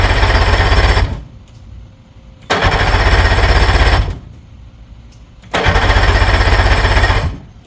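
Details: Old 48 2-stroke outboard, sitting a long time; owner says it starts and idles but won't plane: three cranking bursts of about 1.5 seconds each with fast steady chug and pauses, never fires; cranks, won't start.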